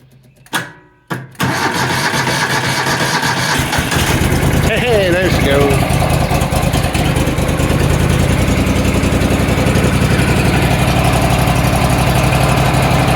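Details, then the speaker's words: Engine jumped with an EverStart 1000 A jump pack, choke off: a couple of cranking bursts, then it catches and settles into a steady, even run with no misses or knocks. "I knew you could do [Applause] it."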